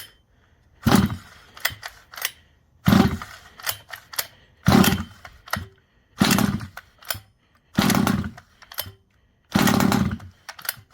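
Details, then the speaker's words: Neglected Rovan Baja 5b 1/5 scale RC two-stroke, fresh fuel, after choke off: catches in short bursts about every 1.5 seconds then dies each time; idle set too low, idle screw turned in, then idles well. "Added some more idle screw in there. Let's try it now."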